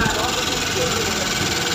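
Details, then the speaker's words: Suzuki Gixxer SF 150 motorcycle with bat-like sound attributed to earlier bad work: steady busy idle with loud dense rattle that never settles; on teardown mechanic found a cam bearing problem. "তো এখানে আমরা যে সমস্যাটা পাইলাম সেটা হচ্ছে এখানে ক্যামের বিয়ারিংয়ের সমস্যা।"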